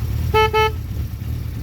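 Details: 1975 Honda CB550 Four, mostly original, 9786 miles: horn test with two short clear mid-pitch toots over low engine idle; horn strong and working normally.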